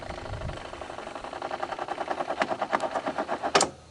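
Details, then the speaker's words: 1985 Honda ATC250ES Big Red single-cylinder idling warm after carburetor swap: light rapid ticking whir from the kickstarter clutch, speeding up then cutting off, over an even idle; normal kickstarter clutch whir. "there you go the kickstarter clutch uh whirling about"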